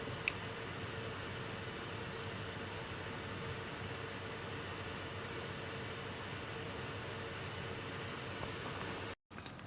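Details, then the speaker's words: MSI R7950 Twin Frozr overclocked to 1000 MHz core, power limit +20, after 10 minutes' running, fans at 48% like stock: soft, steady airy whoosh with no ticking, buzzing or grinding, normal fan operation. "So, in theory, it should be the same amount of noise as stock, but you can hear for yourself. This is the 1000 megahertz power limit +20, and this is what the fan sounds like after running for 10 minutes."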